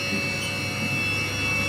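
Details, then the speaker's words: Haas VF3 CNC vertical machining center spindle running at 6000 rpm: steady, even high-pitched hum with no roughness or knocking. The spindle runs smoothly. "there's our spindle you can hear it humming along at 6000 rpm sounds real good"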